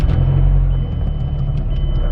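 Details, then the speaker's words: Mazdaspeed3 after swapping OEM engine mounts for stiffer aftermarket CPE rear and JBR side mounts: steady deep idle rumble with strong low throb and extra body boom, more vibration transmitted through cabin; normal healthy idle. "oh my God bro this thing sounds insane you can literally feel the vibration of the exhaust in your butt cheeks bro"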